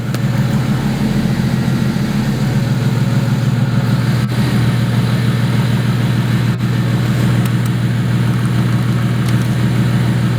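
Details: 2008 BMW 135i, 752 whp single-turbo build: loud uneven idle hum whose pulse wavers and hunts, heard after a replacement TMAP sensor made no difference and no codes were found; unstable idle, cause unresolved.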